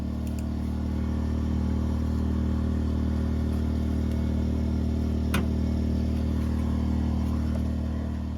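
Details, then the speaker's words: 2000-watt WEN inverter generator powering a 90-amp flux-core MIG welder with wire feed turned down to between 1 and 2: a steady, even low hum holds under load without tripping the overload. "this is when I turn the feed rate down on the welder between one and two and I get the rest of the way through the weld without tripping the overload"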